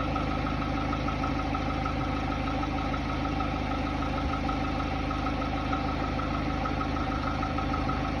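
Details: Hyundai Tiburon 2.0 MPI G4GC 143 hp, cold engine at idle: a faint, loosely regular light knock about three per second over the engine note. It disappears at operating temperature; piston slap is suspected but not confirmed.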